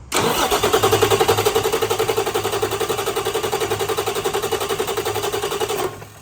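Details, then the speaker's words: Rebuilt Cummins QSM11 diesel on test stand: even starter cranking about four beats a second, never fires; no fuel flow because the 24 V fuel shutoff solenoid on the main fuel pump is poorly grounded. "We're not getting any fuel flow at all. So, that tells me we still have a ground situation."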